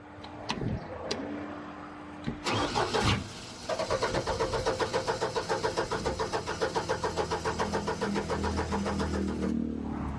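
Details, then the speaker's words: Upright AB62RT boom lift engine, sat over a year: about six seconds of steady cranking, then it catches briefly and dies. A bad wire and a suspect charging rectifier were found; the cause is not confirmed. "I think this is a rectifier for the charging system maybe because this wire goes up to the alternator but it it wants to start and then it quits"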